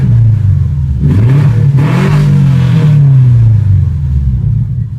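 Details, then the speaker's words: 1998 Subaru Impreza Outback with STI swap: loud, raw, uneven boxer rumble swelling with a quick rev from a huge exhaust leak. "have a huge exhaust leak kind of sounds like crap kind of sounds badass but it's got that awesome Subaru Rumble"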